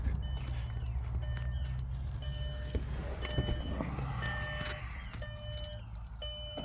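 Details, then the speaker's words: Mercedes R500 V8 bought cheap at auction, battery at 3 volts and jump-started: lumpy, uneven idle with stumbling misfire-like beat under a chiming warning tone, lights dimming. "Well, the fire's right over, but it does sound a bit rough."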